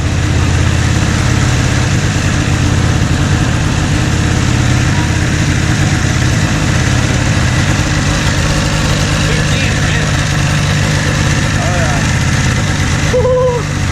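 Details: 1997 Ski-Doo Formula 500cc two-stroke snowmobile idling indoors after sitting 5+ years, with carbs cleaned, new intake flanges and primed fuel. A steady, even idle with a deep burble and no misses or knocks; idling cleanly.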